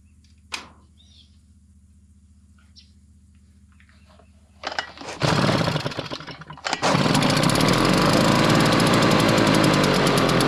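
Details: RedMax EBZ5150 blower after carburetor replacement and draining old gas, which was suspected as part of the problem: a few pulls, fires, sputters briefly, then holds a smooth, steady high two-stroke buzz; normal running.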